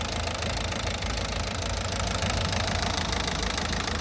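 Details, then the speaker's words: 2007 Citroën C4 1.6 HDi 9HX, no DPF, code P2670. Running after a connector block was unplugged. Even diesel clatter at a steady idle, no hunting or stalling; normal idle. "regardez dû démonter sa la voiture elle a démarré"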